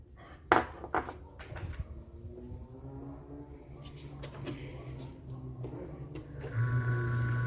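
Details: Motor on a far-too-small 3 µF run capacitor: handling clatter, then a loud, steady mains-rate drone as it barely starts. Current stays high and only the auxiliary-winding current drops.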